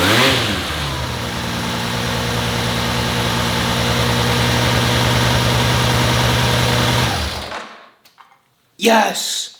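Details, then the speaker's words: Honda CBX motorcycle's first start in 20 years after a full carb rebuild. A fast, steady high idle that holds for several seconds, then cuts out, while smoking a little. The high idle comes from the engine starving itself for fuel. "Um, the bike still is clearing out his throat. That is for sure."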